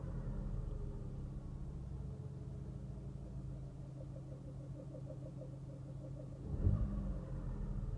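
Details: Fiat Bravo 1.4 90 bhp engine at idle: steady low rumble with a faint, loosely timed ticking in the mids, about three to four a second; source unidentified.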